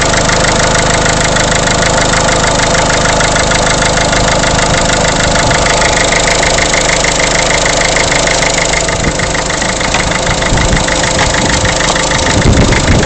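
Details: Peugeot 307 1.6 HDi diesel at idle: steady clatter with a fast, regular, constant-pitch tapping on top; engine knocking at idle, source unknown.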